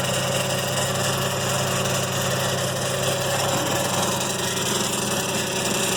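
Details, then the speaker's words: BMW 335i, ZF 6HP21 transmission, 150K, after Sonnex valve body rebuild, new solenoids, pan, filter and 8L fluid: on cold start next day, droning hum with faint whine from front end; normal after sitting 30 min, no codes. "sounds like it's coming from this front end. Definitely wasn't doing this last night or during the test drive."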